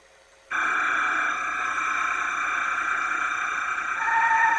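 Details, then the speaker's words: Sony VO-5800 U-Matic VCR during tape playback: harsh steady squeal starting abruptly, shifting pitch near the end; apparently from a binding tape guide, eased by moving the guide but coming back. "yeah not a pleasant sound at all not at all seems like by just moving that guide that freed up the issue with the squealing"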